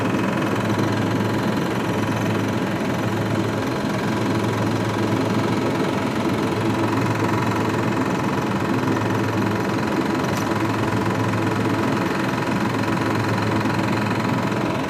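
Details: VAZ 2106 engine at idle: constant light tapping running through an otherwise steady idle, not easing; engine knock from inside the motor.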